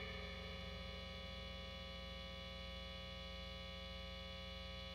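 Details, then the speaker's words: Jazzmaster, bridge pickup selected: constant sharp, buzzy 60 Hz mains hum from the poorly shielded pickup; guitar properly grounded, not a grounding issue. "That is a sharp sounding 60 cycle hum that is buzzy as funk right now."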